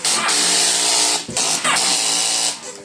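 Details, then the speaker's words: 2009 Kawasaki Versys, no crank: fuel pump primes, starter switch clicks, then starter solenoid chatters/vibrates without cranking; old weak battery after a month on trickle charger, battery was the cause. "what you're hearing there is the fuel pump going on to prime the engine and then you hear the clicking of the starter switch and then the starter solenoid just vibrating. It can't do much more than that because it doesn't have enough power going into it."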